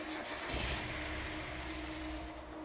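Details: Miata with code 1 (cam angle sensor) fault, testing swapped cam angle sensor: brief cranking, faint low rumble fading within a couple of seconds; catches but won't stay running, cam angle sensor suspected.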